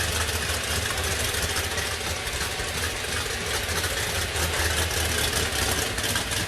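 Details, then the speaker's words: 1969 Boss 302 V8 engine with screw-in freeze plugs, warming up on a cold, damp day: steady idle with a busy top end and a faint, even whir from its quiet gear drive; no oil leaks, runs great; normal idle. "It does have a gear drive in it. You can hear it a little bit. It's a nice quiet one. It's not one of those real loud ones."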